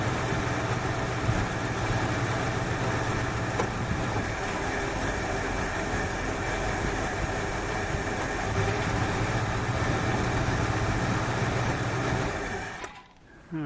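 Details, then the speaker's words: 1968 Ford Fairlane V8 after a flooding carburetor fix, idle set slightly high: a steady, even idle with a smooth low rumble and no stumble, miss or hunting. Normal idle. "well that sounds better this is a whole lot better all right i'm just a pad high right about there sounds good"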